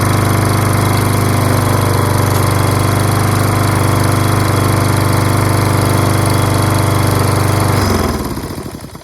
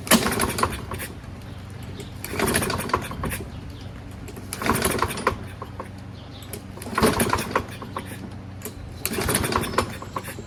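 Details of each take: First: Toro Recycler self-propelled mower with Kohler XT675 6.75 engine, after fixing rusty flywheel brake and fouled spark plug and washing: single-cylinder runs steady and even at full throttle with clean firing beat, then shuts off; runs fine. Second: Toro Recycler self-propelled mower, Kohler 6.75 engine, choke closed, starting fluid sprayed in: five recoil pulls with no firing at all; no-start from fouled spark plug, flywheel also rusty.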